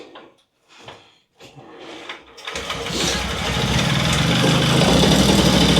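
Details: Puch Maxi two-stroke moped, previously non-running, starting; a few weak sputters, then the engine catches and settles into a steady buzzy run that evens out as it warms.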